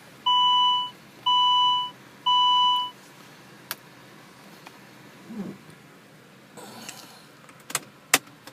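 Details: Car that won't start after a failed ECU (T8) software update gives three long, even beeps about a second apart, then only faint clicks with no cranking; the update is the suspected cause, unconfirmed.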